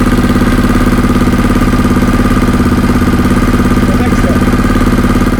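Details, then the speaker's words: Yamaha XTZ660 3YF single after an oil and coolant change and carb refit, air box only mocked up, weak starter clutch: strong, even thumping idle with no knocks or misses; engine sounding really good. "The starter clutch isn't working great, but the engine starts. And it's sounding really good, which is fantastic."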